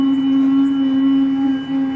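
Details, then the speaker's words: Massey Ferguson tractor with the oil light on and the alarm sounding: a loud, steady mid-pitched whine from the pump holds while the steering wheel is held over and eases when released. Noisy power steering pump. "Muito barulho do alarme, a luz acesa e o barulho do volante da bomba. Ó. Tá vendo o barulho aí, ó? Você pegando o volante, ó."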